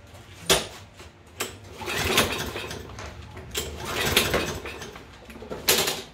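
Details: Toro push mower with Kohler engine, full tank of fuel, clean oil: several pull-cord strokes spin it with a whir but it never fires; no start, no spark from a failed ignition coil.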